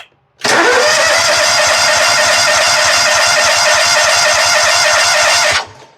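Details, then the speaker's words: Exmark zero-turn mower, Kawasaki engine: steady fast cranking for about five seconds, never fires; fuel pump delivers no fuel, so it will not start. "Well, it ain't pumping, is it? So we're about to put us a new fuel pump on this thing,"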